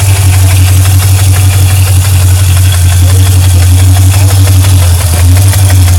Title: Ticking noise